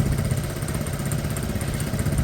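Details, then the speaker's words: Piaggio Fly 125 scooter, fuel-injected, first start after an engine swap with fresh oil and running two to three minutes: small single-cylinder putters at an even idle with no knocking or stumbling. Smooth, healthy idle. "I think got that sounds smooth enough I got fresh oil in there two or 3 minutes"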